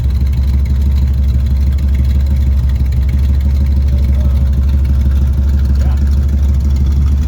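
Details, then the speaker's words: Chevelle V8 that sat for years, just restarted after fresh fuel, new spark plugs, water in the cooling system and a borrowed battery; exhaust cutout open. Deep steady burble, even beat, no misses, knocks or ticks; running pretty good. Normal idle. "running pretty good. Not mad at it. Old girl's still got it in her."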